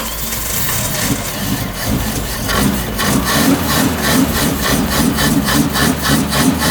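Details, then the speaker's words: Suzuki Sierra after floating in a deep river, moisture remaining, brake cleaner sprayed in the carburettor: slow uneven labouring crank about three and a half beats a second. "ah she wants to kick over a few more cranks and I reckon we'll be on here"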